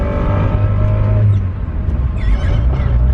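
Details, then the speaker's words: KRX driving on 91 octane on its first drive since the dyno, clutch cable needing adjustment: steady engine drone with a faint mid-pitched whir present only with the clutch engaged; owner suspects input shaft bearing. "It's only when the clutch is engaged that noise is there."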